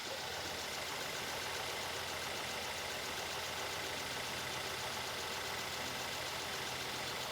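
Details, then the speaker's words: Mercedes GLS 450 M276 V6 first start after camshaft and cam phaser replacement, on jump start: steady, even idle with plenty of hiss, no knocking or rattling; sounds healthy. "Sounds good. Let me rev it up a little."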